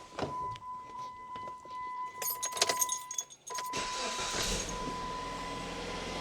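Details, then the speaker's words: 2013 Jeep Patriot Limited 4WD after replacing belt tensioner, idlers and alternator, camera at the accessory belt: keys rattle, engine catches and settles into soft, even idle with no squeal or bearing rumble; failing alternator bearing was the cause, now quiet. "Much better. So, it was the alternator all along. That is incredibly quiet compared to what it was."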